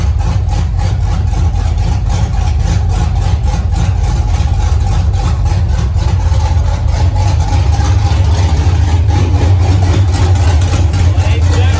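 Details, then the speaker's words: 1983 Ford Mustang with cammed 5.3 LS V8 from a 2002 Avalanche, thermostat not yet open, oil pressure 40 psi at idle: deep, choppy lumpy idle at about 750 rpm, steady underneath; normal cammed idle, more chop at lower rpm. "It's definitely got more chop with less RPM."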